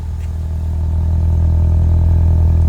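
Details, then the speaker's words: 1996 Toyota Starlet with Glanza V conversion, stock 4E-FTE turbo and ECU, idling with the exhaust valve (Valvetronic) off, which the owner says gives the quiet idle note. Smooth, even, low hum and deep drone with no knocks or misses; healthy idle. "ඉතින් Valvetronic එක off කරලා තියෙන ඒ නිසා තමයි මේ වගේ පොඩි idle sound එකක් එන්නේ. මේක ලොකු sound එකක් නෙමෙයි."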